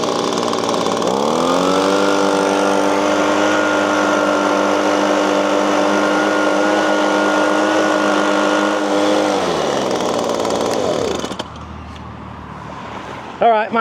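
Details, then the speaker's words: Six-year-old Echo PB-250LN handheld leaf blower, ignition coil replaced about five years ago: revs climb to a flat buzzing high-speed tone then drop to idle; slightly higher RPM but still not reaching full speed. "findings are it runs a little bit better. It runs a little higher RPM, but it's not where I think it should be."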